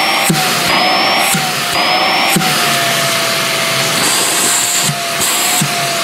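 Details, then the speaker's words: Greenote corded AC stick vacuum (18 kPa suction, HEPA, bagless) running with floor head removed: high motor whine with wavering singing tone that shifts as the wand is lifted; weird harmonics noise off the floor, disappearing when on the floor. "But up in the air, it does have a weird kind of harmonics thing going on."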